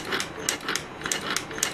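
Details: Mercedes S420 throttle body, cleaned and repaired, bench test off the car: quick even buzzing clicks three or four a second, each crisp and alike; throttle plate opening and closing normally.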